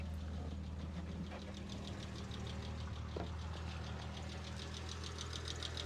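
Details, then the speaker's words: 1970 Jaguar E-Type S2 roadster just started, water still stone cold, choke set, idling steady at about 700 rpm. Even idle with light regular valve-train ticking. No noise from water pump or alternator, no exhaust leaks. "And we hear the typical valve train noise from the engine, but we're not hearing anything from any of the ancillaries, the water pump or the alternator."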